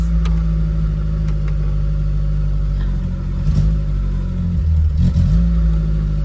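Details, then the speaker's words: VW Polo breadvan carburettor engine, mixture still being tweaked; with a little choke on, steady low idle holding even through brief throttle blips. Runs sweetly on choke. "With a little tiny bit of choke on, he's sweet."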